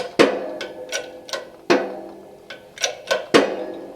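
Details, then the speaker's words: Modified shop hydraulic press with added bracing, pumped by hand while pressing a motorcycle crankshaft together: sharp irregular pops at the start of each stroke, getting more frequent as the fit tightens; popping under load. "when we first start out you'll hear it pop but then it's smooth for the rest of that pump"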